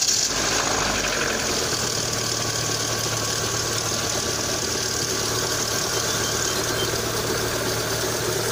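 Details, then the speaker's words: Lada Kalina 2, 80,471 km, cold start from autostart at 12 °C outside, hood open: steady idle with even hum and busy upper clatter, no distinct hydraulic lifter knock cold; knock reportedly appears only hot under load. "газ отпускаешь как бы звук уменьшается на холодную не стучит"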